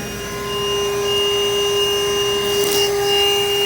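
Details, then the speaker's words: Vacuuming the blocked condensate drain line of a Trane unit: steady high whine with a strained, labouring pitch that never frees up as the vacuum chokes down on the clog; trap suspected clogged, likely needing a cut into the line in the attic. "We obviously have a clog. You can hear by the sound of the vacuum it's choking it totally down."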